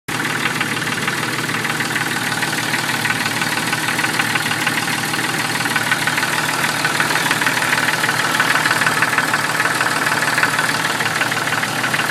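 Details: 1996 Jeep Cherokee idling with a steady, regular knock of roughly three beats a second deep in the block; owner thinks it comes from inside the oil pan, cause not confirmed.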